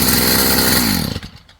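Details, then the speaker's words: Stihl FS55 trimmer two-stroke after a new Hipa carb kit install, warmed up: crisp, even buzz at steady high speed, then winds down smoothly at shutoff; runs great, normal running. "Yeah, it runs great, guys. Runs wonderful."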